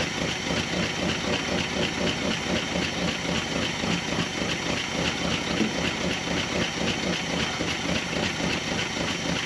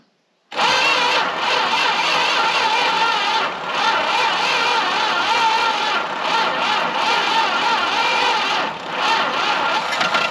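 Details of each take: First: Dodge W300 4x4 dump truck V8, carbureted, revived after sitting a while, settles into a steady even idle on its own with no misses or knocks; running as it should, ready to drive. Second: Long-sitting Dodge W300 4x4 dump truck; engine catches and roars unevenly for several seconds, showing ignition and compression work; it just needs the right fuel into the carburetor.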